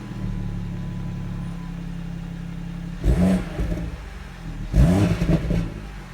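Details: 2017 BMW M140i xDrive, about 1000 km, cold start in Comfort mode with standard exhaust: high idle with a tinny metallic clatter rising in two brief rough bursts; source of the strange metallic noise unclear.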